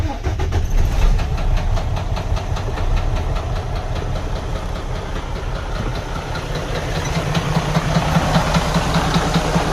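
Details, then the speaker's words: DD13 diesel truck engine at idle making a loud, steady, frightening knock about two or three times a second, from damaged camshafts running out of time; engine runs poorly. "es un sonido bastante fuerte es un sonido bastante ah eh eh que asusta demasiado"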